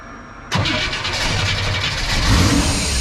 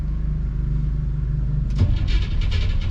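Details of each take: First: '57 with reinstalled FiTech fuel injection, started after remounting and tightening the alternator and reconnecting the battery: quick crank, catches within a second, then a smooth, steady, even idle, charging about 14.2 V. Normal start and idle. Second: '57 with FiTech fuel injection reinstalled after warranty repair, first start attempt: steady low cranking drone, then ragged firing bursts join in but never settle into idle. Fires, rpm signal present, won't catch; hard start.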